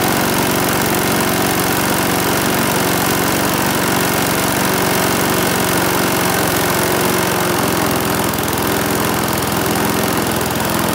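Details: Briggs and Stratton single-cylinder mower engine, serviced after oil starvation or neglect, buzzes along at a steady, even speed with no misses or knocks; runs smoothly.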